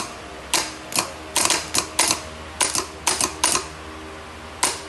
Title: #short,bad starter symptoms?